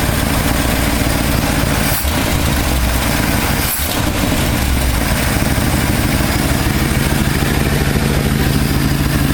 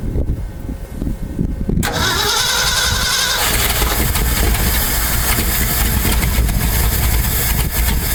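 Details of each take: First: 1968 Ford F250 camper special V8, non-running for years, now idling after condenser fix, air/fuel mixture screws at two and a half turns, not fully warmed up: steady, even idle with no misses or stumbles; normal idle. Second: 1968 Ford F250 V8, non-running for years and possibly on old fuel; previous owner replaced the distributor, coil, plugs and wires: starter cranks, it catches and runs roughly but won't hold a steady idle. Stalling after start.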